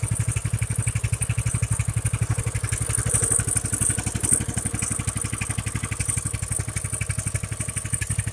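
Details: Stock Coleman BT200X small single-cylinder, after routine maintenance and fresh gas, owner suspecting a plugged carb behind unreliable starting: catches and settles into a quick, even putter with steady firing pulses, no knocks or misses; healthy idle.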